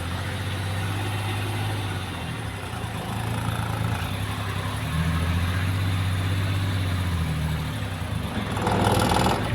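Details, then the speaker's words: Maruti Suzuki Alto with low pickup since head work, on a small slope at full throttle, clutch being released. A low, labored drone shudders about four times a second and the car vibrates without moving, near stalling; retarded ignition timing. "ഇനി ഞാൻ ക്ലച്ചിൽ നിന്ന് കാലെടുത്തു കഴിഞ്ഞാൽ വണ്ടി of ആകുന്ന ഒരു കണ്ടിന്യുഷനിലേക്ക് പോകും വണ്ടി move ആകുന്നില്ല വണ്ടി വൈബ്രേഷനിൽ നിൽക്കുകയാണ് വണ്ടി മുകളിലോട്ട് കയറുന്നില്ല"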